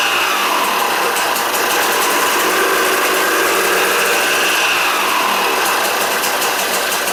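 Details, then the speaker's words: Freshly rebuilt KTM 200 two-stroke on first start after a few kicks: sharp crackling note holding a steady high idle, healthy and eager, no knocking or rattles; normal two-stroke running. "Oh, she's angry. Well, the rings are bedded, you've done that. Yeah. Just from kicking."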